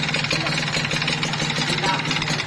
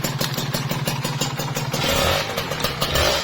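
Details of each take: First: Kawasaki Ninja RR two-stroke, before repair, bore worn white: fast loose metallic rattle over the idle, tapping every turn, very loud, a worn piston slapping in the tired bore. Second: Kawasaki Ninja RR two-stroke after repair for engine knock and a whitened bore: crisp blips rise and fall cleanly with no slap on the rpm drop, where a loose piston would clatter; it sounds tight.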